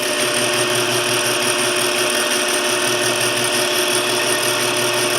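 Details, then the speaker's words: South Bend toolpost grinder, belt uneven in spots: steady high hiss and fine whir, no growl, rumble or knock; spindle bearings running quiet. "the spindles uh quiet I think that's pretty good"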